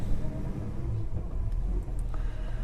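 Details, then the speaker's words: Holden HK V8 on a drive after long problem-solving, still running hot: deep, even V8 rumble under way with no knocks, misses or rattles; pulls smoothly and sounds healthy, starts and runs beautifully. "this car starts beautifully she's running beautifully apart from that temperature of course but she starts and runs beautifully certainly sounds like a v8 now"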